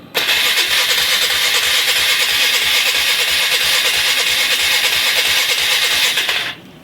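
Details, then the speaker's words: 1996 Polaris Marauder 425 liquid-cooled four-stroke 4x4, neglected, after wiring harness work and with a poorly working fuel shut-off valve, a quart of gas added: starter spins about three turns a second for six seconds, no firing at all; crank no start. "Yes, I did check for gasoline. I put a quart in it. Not even a puff. Let's see. Nope. No, nothing."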